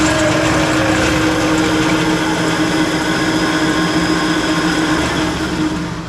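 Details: 20-inch Clausing three-phase drill press in low range: steady mid-pitched whine over a rough, uneven hum from the upper spindle area; bad bearing up top, slightly quieter after oiling, to be replaced.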